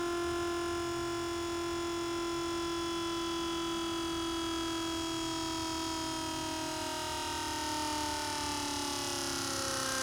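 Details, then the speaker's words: Buick Grand National Powermaster brake pump motor, gauge fitted with pressure switch behind reservoir, key on: pump whine falls in pitch as it builds pressure, then rapid repeated clicking; bad pressure switch cycling the motor, replace switch. "So, if yours is doing that, where it makes a bunch of clicking noise right at the end of it, building up pressure, which you can tell because the motor starts getting a little slower in speed, you want to change your switch."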